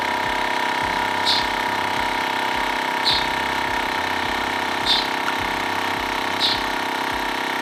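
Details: TACKLIFE M1 portable tire inflator pumping a bike tire toward a 60 psi target: a loud, even buzzing drone with a soft puff about every two seconds and no hiss. The screwed-on connection is sealed and working normally.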